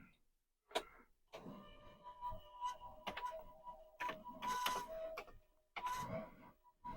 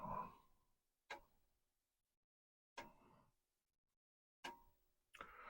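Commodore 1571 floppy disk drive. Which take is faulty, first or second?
first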